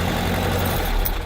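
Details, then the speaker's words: 1970s VW air-cooled engine (1972 Super Beetle or 1971 Karmann Ghia) idling on a cold day after clearing a clogged fuel filter under the gas tank: low, steady idle, slightly rough from the cold. "little rough because it's a little cold outside"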